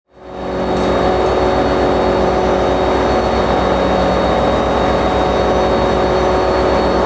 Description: I don't think the EMD 710s usually sound like this, lol. This engine (the first of its kind for NJT) really be sounding like an ALP-45DP vacuum cleaner.